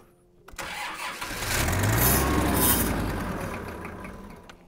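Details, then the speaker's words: Kubota M5700 tractor, 5-cylinder diesel of almost 60 hp, with a stalling problem; starter churns at about three and a half beats per second then fades without catching; cranking no-start, fuel light on, fuel system fault suspected. "okay it didn't start at all that time let's try it again"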